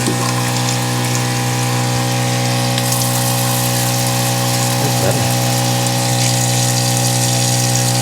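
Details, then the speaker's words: Van build water system test: water pump wired directly (wires touched together, no switch yet) from the water tank feeding a new sink faucet; loud steady electric pump hum and buzz with water gushing but weak flow, low water pressure. "It's kind of loud, but that was to be expected, I guess. Not a whole lot of pressure."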